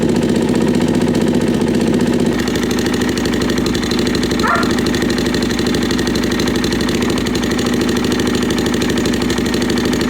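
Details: Suzuki LT-Z400 ATV with manual cam chain tensioner, aftermarket pipe, apparently missing top engine mount, idling: fast light tapping over the single-cylinder thump, loudest on right side near the cam chain; top-end ticking, mechanic suspects cam chain slack, unconfirmed.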